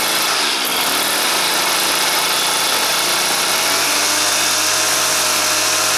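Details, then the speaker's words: Stihl FS 400 professional brushcutter two-stroke, no-start case with spark present and dry plug, started indoors with choke closed: harsh, buzzy drone holding one speed, won't rev up; air filter checked fine, carburetor screen next suspect. "і так так завелась але не розвиває оберти проперевірю чи не забитий фільтр"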